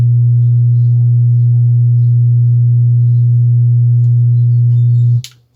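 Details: Wordstar WBL 160 Plus active speaker, opened and switched on. A loud, steady low hum holds for five seconds, then cuts off; one output IC heats up, a shorted amplifier output chip.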